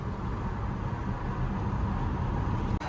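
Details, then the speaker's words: SUV on a test drive after repairs to a persistent cylinder 3 misfire that coil pack and spark plug swaps did not cure: steady, even engine drone, no stumbles, not overheating, accelerating smoothly; a flawless 10-mile test. "test drive is going well. The car is not overheating. It's accelerating smoothly,"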